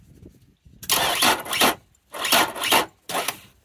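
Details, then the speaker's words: Outboard motor with a sluggish starter, voltmeter at the engine block and starter from 12.3 V unloaded: three short, labored starter whirring bursts that never catch. About 8 to 10 volts is lost between battery and starter; fried cables are suspected. Slow cranking from voltage drop. "again yeah so somewhere between the battery and there we're dropping about 10 8 to 10 volts trying to actuate the starter motor so we know we got a problem in here somewhere"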